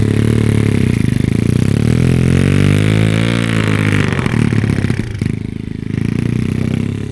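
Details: SSR110 (sold as a 125, possibly 107cc) pit bike single revving with a loose, uneven clatter over the exhaust note; exhaust valve found at least 1/8 inch out of lash; engine only idled with zero power, head discoloured; mixture appears a little rich.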